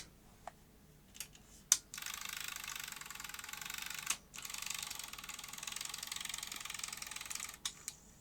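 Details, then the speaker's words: Sony SL-C9 Betamax being revived after PSU faults, after aerosol grease on the unload mechanism: clicks, then a thin whirring that pauses and resumes; it completes a full unlace but is still slow and laboured. "well it succeeded in doing full unlace then but it's still making a bit of a meal of it isn't it yeah it's still a bit slow and labeled there"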